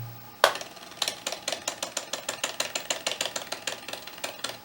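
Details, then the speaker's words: Chinon FB-354 Amiga floppy drive from an eBay broken lot: quick, even clicking about five per second while the head never seeks properly; head track stepper motor not turning, mechanism later found to have extra friction. "Yeah. The motor's just not turning. So I decided to remove the motor and check the mechanism."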